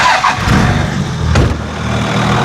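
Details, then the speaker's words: 1995 Dodge 12-valve Cummins P-pump diesel dually, long sat in woods, started after charging: settles after a couple of brief blips into a steady, even, clatter-free idle, "purring like a kitten"; healthy engine. "She's sitting here purring like a kitten."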